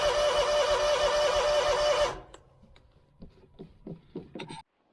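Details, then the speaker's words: Scag mower with Kawasaki FX691V after carburetor replacement, about 12 years old: steady starter cranking about three turns a second, no firing; tank empty though fuel gauge suggested gas. "There's gas in this thing, right? That gauge should tell you. I didn't think this gauge was right."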